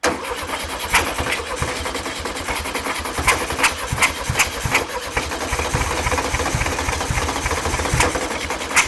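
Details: 1960s VW Beetle 1500 air-cooled flat-four petrol, unstarted since 1973, 8000 miles, choke and extra fuel: cranks, catches and settles into a rough but continuous run with sharp ticks on top; first start after long storage.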